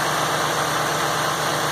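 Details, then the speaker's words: Ford F550 6.8 V10 after repair (misfire was one fouled plug), coils, injectors and MAF reconnected, alternator/water pump belt off, final test. Even, steady idle, no stumble or skip, firing smoothly on all cylinders: "smooth as glass." "Smooth as glass, the way it should be."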